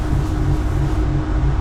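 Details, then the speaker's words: '73 Plymouth Duster with Gen III 5.7 Hemi (Eagle heads), on a jump box after a dead battery: steady low electric hum with faint rough pulsing, fuel pump sounding like it's struggling; fuel pump noise, later judged to sound good. "Your fans a fuel pump. I hear a fuel pump struggling honestly."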